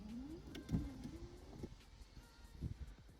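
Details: Mk2 VW Golf being readied for MOT, wipers after fuse change (washers still not working): quiet whirring motor with soft rising sweeps and light thumps at each end of travel, wipers working properly.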